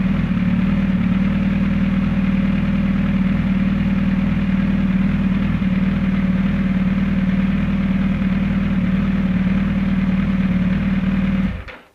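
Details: Suzuki GSX1300R Hayabusa with a starting problem, warmed to about a quarter on the temperature gauge, battery 12.78 V with the engine off: steady, even idle with a smooth low beat and no knocks or misses until switched off; normal idle.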